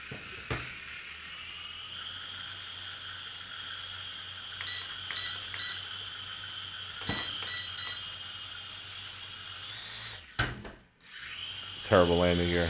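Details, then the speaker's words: JJRC H98 camera quadcopter powered up: a thin, steady piercing high-pitched whine over a soft motor hum with a few short beeps, unusually loud for a newer quad, source unknown; props give a lot of lift. "it's loud makes a high-pitched noise too it makes there's some kind of high-pitched sound coming from this thing it's normally these newer gear quadcopters you don't hear that kind of a piercing sound"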